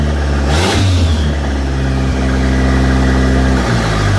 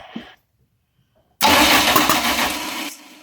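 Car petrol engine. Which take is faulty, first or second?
second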